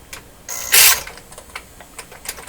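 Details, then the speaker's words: Bang & Olufsen Beocord 2000 De Luxe tape recorder, tape transport running. Sharp, irregular clicks with one loud harsh early burst, like a relay chattering; owner wonders about a bad 60-cycle AC voltage, cause unconfirmed. "sound like like a relay chattering didn't it did it sound like a chattering or it's closed with a terrible ac voltage it's not expecting is that what we're hearing 60 cycle"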